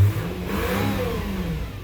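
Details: 2006 Subaru B9 Tribeca just after engine installation, coolant bleeding with heater at max and engine warm: engine climbs smoothly from idle into a quick rev and settles back, even note, no knocks; healthy.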